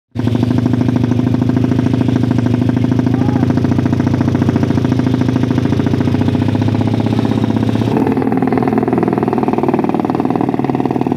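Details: Motorcycle with PWK carburetor: loud, rapid, choppy helicopter-like flutter at low-mid revs; stutter from a carb setting with a jet needle too thin, making the mixture too rich.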